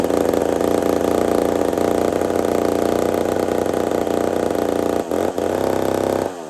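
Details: Old McCulloch 440 chainsaw with carburetor issues; it keeps filling up full of fuel, and the owner may fit a different carburetor. A high steady buzz dips twice and stumbles before picking back up; runs rough, cause not confirmed.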